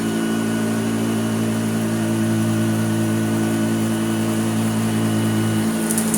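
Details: Hoover Junior U1034 Exclusive vacuum, as found and untouched, running on carpet: a smooth, constant motor hum with a steady pitch and no rattles or grinding; a healthy, evenly running motor.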